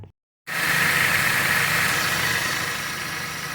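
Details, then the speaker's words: Dodge (Avenger/Journey/Chrysler 200) engine that had a cats-fighting noise, after new pulley and belt refitted: starts and settles into a steady even idle, faint high note fades, no noise or knock; repaired. "la diferencia ya no hay ruido muchachos"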